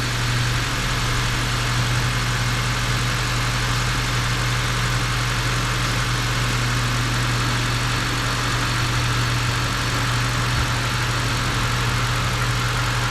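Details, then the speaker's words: 2014 Dodge Avenger 2.4L just after cylinder head and head gasket replacement: after an initial misfire, possibly from assembly lube in the head, it settles into a smooth, even, quiet idle with no knocks or ticks. "doesn't sound too bad you probably had a little assembly Lube in the cylinder head and that's why I kind of misfired to start with but it's uh it's only real good nice and quiet"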